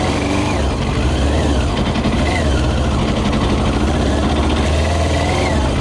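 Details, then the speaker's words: Yamaha YZF 600R running mainly on 40% alcohol whisky, ridden around a lawn: ragged, uneven note that never climbs or pulls cleanly under load. Misfiring with almost no power. "It's got no power, just a little bit. Cannot ride this, you know, it's like no power, no power."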